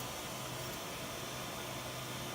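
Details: Old 1GHz AMD Athlon K7 PC after freeing a backplane cable caught in the fan: steady, even airflow hiss with a faint low hum and no rattle or scraping, the fan running cleanly.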